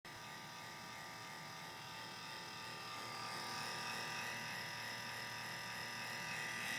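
A loud, steady high-pitched buzz that rises slightly over the clip; the laptop's cooling fan is running noisy, cause not known.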